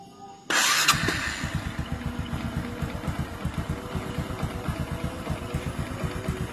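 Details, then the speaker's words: Cold Honda Supra X 125 (also fits Karisma) idling with steady tek-tek knock like piston slap despite new NPP piston; noise vanishes when revved and once the engine warms, returns at low rpm; cause suspected, not confirmed. "ketika mesin dingin ada suara tek tek kayak stang seher. Ketika ditarik gas suaranya hilang, Guys. Dan ketika mesin mulai panas suara tek-teknya itu hilang, ya."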